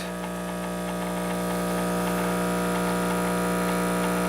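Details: Breville espresso machine pulling a manually held shot, gauge about 10 bar (about 145 psi): steady buzzing pump hum with even pulse at constant pitch; pump working normally.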